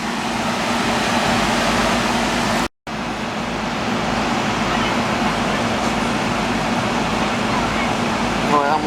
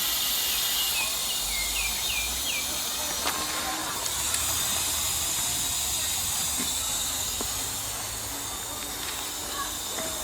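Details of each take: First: Commercial R-22 AC condenser at about 65°F outdoor, after dry condenser install and recharge: steady fan air rush over smooth compressor hum, no knocks or squeals; superheat, subcool and head pressure normal. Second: Two-ton air conditioning unit with no cooling, system empty, charged with dry nitrogen to find leak: steady high hiss of gas escaping, no motor running; leak at blown compressor seal, burnt refrigerant smell.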